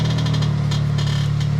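Short scratchy creaks come and go over the low cabin hum while steering right, pointing to a worn rack and pinion.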